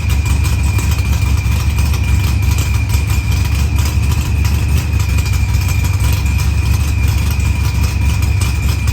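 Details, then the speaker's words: Dodge Challenger with supercharged LS swap and zoomie headers, after blown head gasket and fuel pressure sensor fixed, firmware V6 220, timing 27° (target 28°), idle leaned: loud deep steady idle with faint constant whine, no knocks or misfires; runs well. "I don't get it. But it's running good. It takes the gas."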